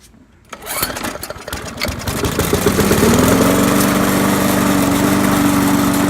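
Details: Trash-picked Poulan Pro lawnmower, hydrolocked from too much oil, on its first run after repair: catches after a few rough turns, then runs smooth and even with a steady pitch while still smoking a little; normal running.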